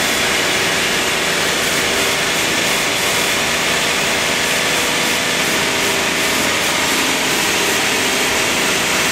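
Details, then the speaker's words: Warming AMC Eagle engine, worn, with a newly fitted carburetor. It holds a fast, steady, hissy idle that never drops back; the owner blames the choke, and suspects the electric choke may be on backwards or misadjusted. "um the fast idle was due to the choke you got the choke open you know"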